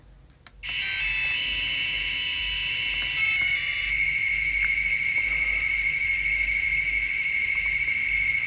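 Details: Maytag washer electronic control board whose interface makes noise and sometimes won't power on: a piercing steady high-pitched buzz starts at switch-on. Supply readings drift from 13 V to 12 V and then 11 V; cause not pinned down.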